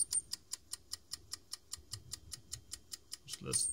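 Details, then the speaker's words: 3.5" floppy drive in a defective computer, known to ruin new disks, spinning a 1990s Floppiclene cleaning disk wetted with head-cleaning spray: quick, even, sharp ticking about 2.5 per second over a quiet room, not healthy-sounding; abnormal ticking noise. "oh so we just try to reach that does not exactly sound healthy to the drive"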